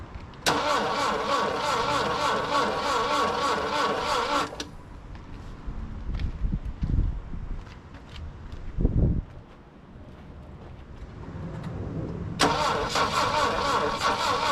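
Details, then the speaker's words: Saab Sonett III off the road since 2012, plug gaps just reduced for suspected weak ignition, battery running down: steady starter churn at about 2.5 beats per second, two cylinders firing briefly, never catches. Crank, no start. "almost wanting to go you know like almost I saw I heard two cylinders fire that time"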